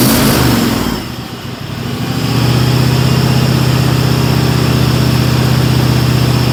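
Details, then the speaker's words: Cub Cadet XT1 Enduro garden tractor that grinds and vibrates when the mower deck engages: a loud steady drone with a rough metallic edge, suspected worn deck spindle bearing. "first thing that comes to my mind down that and I hear that we got a spindle bearing that's starting to go out on it"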